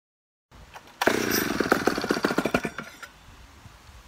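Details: Poulan 71A chainsaw after carb work, replacing stiff old diaphragms, long sat unused: short burst of crisp, rapid two-stroke firing as it revs and drops back, no misfire or rattle; runs pretty good, owner suspects slight intake leak from crank seals.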